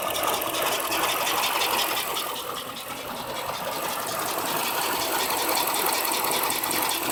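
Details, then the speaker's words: 2007 Dodge Magnum R/T 5.7 Hemi with new EGR, misfire and stalling complaint, close-up at idle after revving: ragged, uneven beat with faint tapping about three a second; rough idle, air leak ruled out by owner, cause unconfirmed. "see how bad the Idol is now and that's just by simply revving the car from the first guard"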